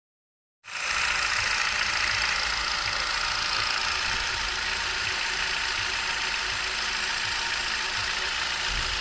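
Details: 2011 Hyundai i20 with a 1.2-litre Kappa petrol engine at 45,000 km: fairly regular light ticking, roughly four a second, over a busy idle that carries into the revs; the source isn't pinned down.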